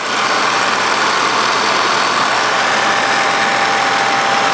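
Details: 1946 Victor 40B projector after oiling and freeing the mechanism, case open, amplifier untouched: steady mechanical whir with an even high gear chatter and a faint constant tone, no knocks. Many gears make noise, less with the case closed; normal running.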